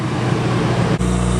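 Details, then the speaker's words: 1972 Dodge Travco motorhome generator on propane: steady low engine drone dips and stutters, then picks back up, under two minutes after the water hose was removed; moisture in the LP system freezes in the regulator, starving the generator. "It's been probably less than 2 minutes since we took the water off of it. Moisture inside of the LP system freezes as it goes through that regulator."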